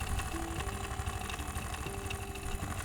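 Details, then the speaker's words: Beko refrigerator compressor after a suction-line leak repair, with condenser and filter warm and the suction line cold: a dull, uneven knock about twice a second under the compressor hum. Internal compressor fault needing replacement, likely wear from running low on refrigerant. "Ну, компрессор в принципе качает. Единственное, стук издает. И он но это внутри проблема с компрессором."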